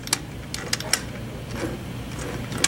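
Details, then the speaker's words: Dirtbike transmission on the bench with Suzuki-style shift cam stopper detent installed: sharp light clicks in short uneven runs as the shafts are rotated by hand while engaged in gear, normal by design. "you hear that clicking every time yeah okay why do I keep having to rotate the shafts because it's designed to engage forward"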